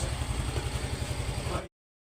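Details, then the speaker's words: Yamaha Mio Soul i125 scooter idling, noise now gone and quiet; even low putter about ten pulses a second, no top-end ticking; normal idle. "Game andar yan. Wala na siyang ingay. Tahimik na."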